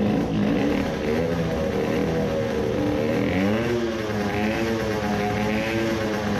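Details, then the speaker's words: Two-stroke moped with new racing carburettor, size 40 idle jet, first start: thin hunting howl, revs wander up and down never settling; sounds lean, rpm floating; lean low-speed mixture from incorrect carb jetting. "let's hear how it howls sounds lean. the rpm is floating"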